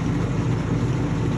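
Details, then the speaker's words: LeBlond Regal 13" x 30" engine lathe headstock in rotation with a steady low gear-mesh growl rising and falling with spindle speed, not a ticking; otherwise machine in nice shape. "you can hear the headstock it's not a ticking it's more of a mesh as you can hear it in rotation"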